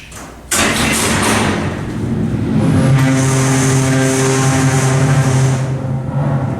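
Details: Original, unmodified Montgomery freight elevator, severely low on oil: loud steady motor hum with a strained low drone and rattling vibration through the run; the pump labours and struggles before reaching the top floor.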